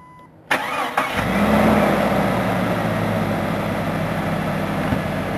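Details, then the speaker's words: Willys Jeep engine just freed from seizure: cranks briefly, catches and idles with a hiss from a vacuum leak, seen coming out of the pistons. "hear that vacuum leak? Yeah. Look at it go. I can see it coming out of the pistons there."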